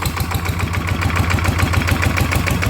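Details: ET95 single-cylinder diesel upgraded to 120 with new spring and performance intake/exhaust capsule muffler, first run after rebuild: even, quick firing thump about thirteen beats a second, no knocks; normal idle.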